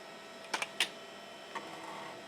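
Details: Home-built PC made for owner's late mother, stored 15 years in a shed, revived after socketing the failed Dallas RTC chip: its 1.44 MB floppy drive reading an old disc gives a few sharp clicks and quick head-seek ticks in a quiet room, reading normally.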